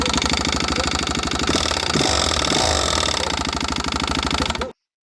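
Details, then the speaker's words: Suzuki DRZ400 single cylinder at fast idle: harsh, irregular metallic clatter far louder than normal valve tick. The valve guides are disintegrating, leaving metal pieces in the combustion chamber. "see these metal pieces here that's actually the valve guides um disintegrating"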